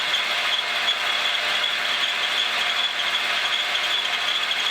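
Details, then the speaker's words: Montgomery Ward Logan lathe 04LC-700A with new Dayco 5070405 serpentine belt: steady running with high-pitched squeak and light rubbing, owner suspects the belt drive system overhead; cause unclear. "really efficient power transfer uh really clean sounding um i can hear a little bit of squeak so i may want to get up into this air the bat drive system i'm pretty sure it's coming from there and do a little bit of work"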